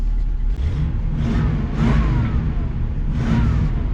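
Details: 1987 Class A motorhome engine just after installing a new fan clutch to fix overheating: fires right up, steady even low rumble with no knocks, misses or speed swings; healthy normal idle.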